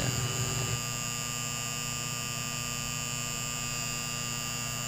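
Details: Magnetic contactor buzzing with a steady, coarse mains-frequency hum; cause is dirty, rusted fixed and moving core faces giving poor contact, fixed by sanding off rust with sandpaper and wiping clean.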